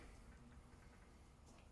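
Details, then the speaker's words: 1998 Chevy Silverado K1500 5.7L V8 with check engine light for P0442: light irregular ticking over a quiet idle. Owner says the idle air control valve sounds glitchy while it hunts for its position; cause not confirmed. "You can hear the idle air control valve. Sounds like that's actually getting glitchy"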